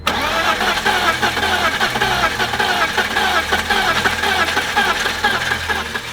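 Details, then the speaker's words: BMW E46 that sat while low on oil and was started without running long enough: the starter cranks steadily with an even, quick churn but the engine never catches. Cylinder washout leaves no compression; the fix is squirting oil into each cylinder by syringe. "It sounds like it's trying to start. Compression test it, whatever, and it's not starting. This could be your problem."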